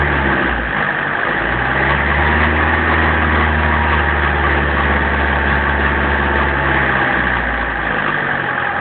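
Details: 1994 BMW 318 tds diesel accelerating: it pulls up through the revs with a steady low drone and a rough, uneven clatter riding on it. Engine noise on acceleration, cause unclear.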